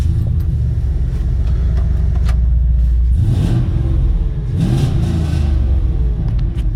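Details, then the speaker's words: 2003 Chevrolet Silverado 2500HD V8 after replacing the right/passenger-side exhaust pipe and refitting the O2 sensor. Deep, loud rumble that swells with revs and settles, no ticking or puffing; no exhaust leak, loudness is from the Flowmaster muffler. "Don't have an exhaust leak. It's just loud because we got a Flowmaster muffler on here, which I don't truly like."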